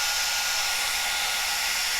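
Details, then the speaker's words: Cascade DS-925 hair dryer on high after repairing a no-heat fault by crimping; air now warm, reading rising 67–70. Smooth, even rush of air with steady motor whir, no crackle or cutting out; running normally. "that's definitely more than I was before and definitely feels warm so that's good"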